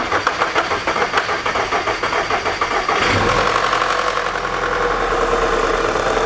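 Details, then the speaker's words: 2009 VW Tiguan 2.0T: long cranking of about three seconds, then rough catch and chattering, clattering rattle over the idle; the long crank and noise point to a badly worn, stretched timing chain system. "I've worked on enough of these Volkswagen and Audi 2.0Ts to know long cranking, runs rough, clattering, chattering noise. The timing chain system is on the brink of, it's bad."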